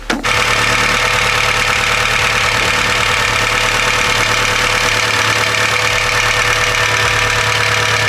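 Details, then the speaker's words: VW Golf on cold start: catches into a fast cold idle with a light, uneven ticking knock over a busy top end. It knocked less as it ran; it's unsure whether the knock is from the engine, and piston parts are suspected. "Короче мы сейчас заводим гольф наш прекрасный нас начинает что-то как стучать прям стучать прям как будто мотор"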